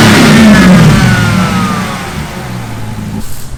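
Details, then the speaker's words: SRT 6.4L Hemi V8 swapped into Jeep Wrangler JLU Rubicon, first start-up indoors: deep rev climbing and falling back smoothly to even idle, echoing in closed shop; sounds healthy. "he's like what is that that sounds different oh yeah like oh man we're gonna wake up some babies shake some houses"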